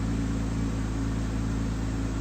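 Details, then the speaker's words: 2015 Dodge Grand Caravan 3.6 L after cylinder 3 misfire (P0303) and bank 1 air-fuel imbalance (P219A) codes cleared: smooth, even idle with no skips or stumbles, scan tool showing no misfires; normal idle. "sounds nice and smooth Aspire monitors in progress and it is showing no misfires"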